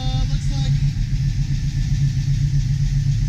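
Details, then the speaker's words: 1972 Chevy Nova SS V8 with new FiTech fuel injection, fresh oil change, cold idle at 44 degrees just after start; deep even V8 burble, regular beats with no knocks or misfires, oil pressure up, healthy. "I don't want this to run too long it does steep but I just want to run long enough get the oil to circulate a little bit"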